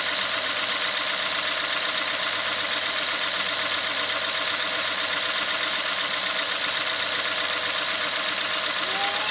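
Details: 2016 Ford Fiesta 1.6L inline four-cylinder, about a year old, which quiets down about 30 seconds after start: an even, steady idle hum with a smooth airy hiss and no knocks, ticks or surging. Normal running.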